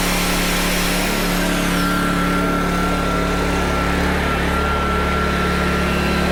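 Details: PowerTrain 900 W generator, previously not starting, fuel lines and carb work done; under a load thought to be roughly 400–500 W, steady even hum holds firm with no misses or hunting; normal running under load.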